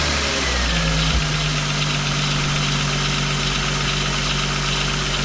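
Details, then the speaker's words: 2000 VW Eurovan idling on a cold ~20° morning after replacing noisy-bearing A/C compressor and swapping clutch, A/C not yet on: smooth, even idle, steady hum, no squeal or chirp from belt drive; bearing noise gone. "go all righty everything looks good getting nice and free nice and quiet"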